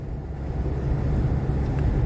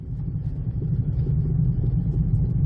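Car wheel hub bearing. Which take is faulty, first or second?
second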